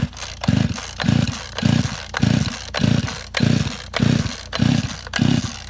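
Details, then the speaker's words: Chainsaw flooded with wet spark plug, choke closed and ignition on: repeated pull-start bursts about every 0.6 seconds, engine never catching. "Ні, виключаємо. Ні, не виходить, прийдеться розбирати пилку."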